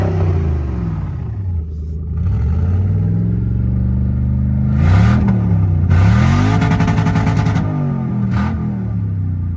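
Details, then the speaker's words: Toyota 1UZ V8 sitting a few years, first runs after revival: uneven lumpy note rising and falling with throttle, stumbling through revs, missing on two cylinders; owner suspects injectors blocked by stale fuel, plans to try a 10:1 fuel/auto trans oil flush. "sounding better all right got two cylinders down Steel"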